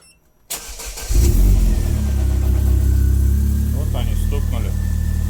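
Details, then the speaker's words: Opel Astra H cold start after standing a week in a garage: engine catches with about a second of metallic gear rattle, then smooths out, blamed on oil draining from all lines. Cold-start gear rattle from oil drain-back. "на секунду, наверное. Потому что масло слилось везде. Со всех магистралей за неделю."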